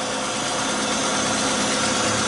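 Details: 2012 Fiat Uno Fire, check-engine light on, high manifold pressure and engine load, 6.56 ms idle injection time, phonic wheel learning fault: engine idles unevenly with lumpy stumbling beat; timing belt one tooth out of time.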